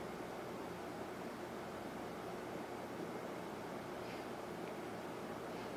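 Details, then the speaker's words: Lakewood P223 fan with a Westinghouse motor after cleaning, oiling and reassembly, started on high with the blade and grills still wet: a soft, steady whoosh and faint hum with no ticking or rubbing. Normal running. "yeah it's not bad now I can actually use this thing on a regular basis"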